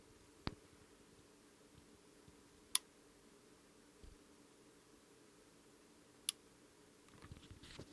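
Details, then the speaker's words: Ignition circuit on breadboard for RC rocket car, microphone close to relays: a few crisp single clicks a couple of seconds apart as relays pull in sequentially; normal relay operation, delay working. "So I'm going to put my microphone up real close to the relay so you can hear them click, and I'm going to go ahead and turn it on and show you guys the delay."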